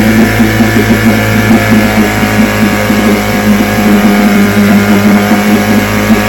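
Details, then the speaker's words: Vintage two-stroke outboard (restored then repaired), 5-minute run, started after extra primer pumps; even, buzzy drone at steady speed with no misses or knocks, ran good. "5 minutes are up. It ran good."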